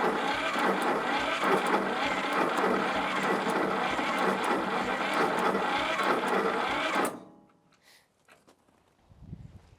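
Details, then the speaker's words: Old Shibaura tractor that sat for years, first start attempt: about seven seconds of sluggish, even cranking at roughly four strokes a second, then it stops. Slow cranking; owner suspects an old, weak starter and plans to pull and test it. "Well, this starter sounds really weak to me. I'm going to pull it, test it out. You might be replacing it."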